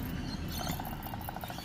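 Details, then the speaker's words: Mercedes W124 300CE-24 alternator removed and spun by hand: thin chirping squeaks from worn brushes/contacts one direction, rattling from loose worn bearings the other; bearings and brushes being replaced. "Hear the bearing? When you go this way, the squeaky noise is the contacts."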